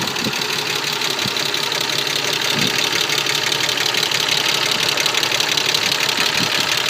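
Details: Mercedes-Benz M104.992 hot engine, fine when cold: fast, light, even ticking from all 24 hydraulic lifters over a smooth idle; hydraulic lifter tick, cured by an oil change with quality oil.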